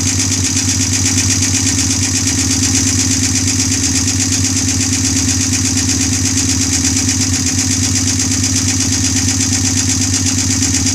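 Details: Honda bobber twin, first run after engine was opened up, on the OEM carburetor after twin carbs failed, not yet broken in: steady, even idle with a quick regular beat and no knocks or stumbles; normal idle, no oil leaks.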